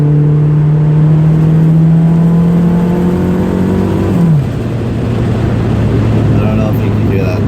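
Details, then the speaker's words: Turbocharged Toyota Tercel at about 80 at roughly 15 psi boost shows a steady engine drone under boost. Then comes a rough fluttering chatter as the throttle lifts: turbo compressor surge. "you can hear fluttering like crazy it's like George juice juice it sounds super cool"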